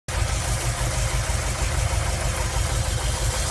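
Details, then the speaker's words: 1990 VW Vanagon after a full tune-up, idling really low while owner checks ignition timing; low, uneven, lumpy idle with no clean rhythm, rough idle, cause not yet found. "Alright, trying to time this 1990 Vanagon. I'm idling really low."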